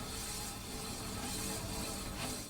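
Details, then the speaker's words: E-bike disc brake with the rotor rubbing a misaligned caliper: harsh, continuous grinding as the wheel turns, the worst stage after faint wisps and repetitive ticking. The fix is loosening the two caliper bolts with a 5 mm hex key and realigning. "it starts off pretty easy with a very faint wisp of a noise kind of sounds like this it could get a little bit worse and make a repetitive ticking noise that sounds like this and if it's really bad it makes an awful grinding noise"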